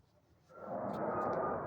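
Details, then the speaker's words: Night sky around 1 a.m. in east Fort Worth, camera pointed southwest: silence, then a loud, steady rushing roar that rises over half a second and holds, an abrupt jet-like whoosh of unknown origin heard about five or six times. "okay so there it was what the heck was that noise that's the sixth fifth fifth or sixth time that I've heard that that is really strange isn't it"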